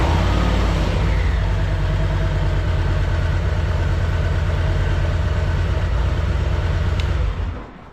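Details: Warranty motorcycle (Betty Jean) with an engine-light issue, cranked after the owner's attempted fix: the engine light goes out, and it gives a deep, steady low rumble with even firing, then switches off cleanly. Normal running.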